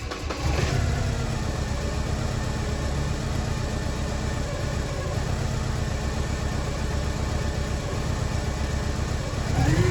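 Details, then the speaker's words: Porsche 944 petrol engine after cambelt change and refitting ancillaries, idling with uneven stumbling beat and occasional pop back: a misfire persisting with the alternator connected or disconnected. "definitely a miss there. Sounds like a pop back."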